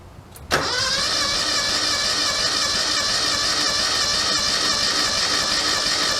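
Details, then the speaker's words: Yanmar 155D compact diesel tractor after oil change, cranked with decompression lever and half throttle to build oil pressure: fires instantly and settles into smooth, even run, no stumbling or knocks; healthy. "Crank it over for a while because that builds oil pressure. I put the throttle on like halfway, and then as you're cranking, after about 5-10 cranks, let it back in and keep cranking, and they'll usually fire right off."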